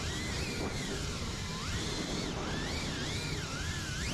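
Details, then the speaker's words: FPV cinewhoop quad with very hot motors and an ESC reboot in flight: motor whine wobbles up and down in pitch during steady hover, with twitches; motor oscillation, bad PID tune or filters suspected. "yeah do you hear the motors going even when the quad is just hovering listen"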